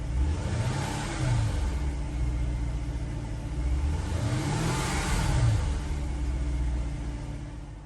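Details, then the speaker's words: 2007 Mercedes-Benz R230 SL550, 43,000 miles, after ABC pump pulsation damper replacement: engine blips and settles to smooth, even rumble with no low-RPM vibration or droning; motor mounts had not fixed it. "It's kind of difficult to see there, but it's right there on the ABC pump, and the car runs nice and smooth now. No more vibration or noises."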